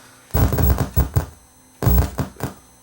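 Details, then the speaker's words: Late-1960s or early-1970s FM-to-8-track adapter, board wiggled while powered: output crackles and thumps in bursts cutting in and out; intermittent audio from a cracked solder joint, possibly an unsoldered capacitor. "oh yeah there is right down here see the break let's just soldier that up and see whether to dust any difference first power it up it might just be that that cap is unsoldered and it's not working when I wiggled it that sound came on"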